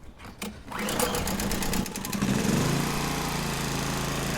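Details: Three-phase motor wired straight to an inverter generator's high-pole-count alternator output: a sputtering start, then a flat, labouring hum and drone. The motor turns, but the supply frequency is too high and it runs poorly and impractically.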